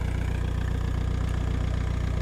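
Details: VW T3 bus diesel at 4,600 m in the Peruvian Andes, after sudden power loss and white smoke, turbo believed seized: deep rapid thumping at low idle with uneven throb; rough running.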